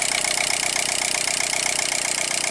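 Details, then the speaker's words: Range Rover Evoque 2.0 Ford turbo direct-injection engine: sharp, rapid metallic ticking over idle, steady after a throttle blip as it warms; variable valve timing phaser pulleys knocking. "Tá vendo? Se você colocar a mão bem aqui, ó, você sente ela batendo,"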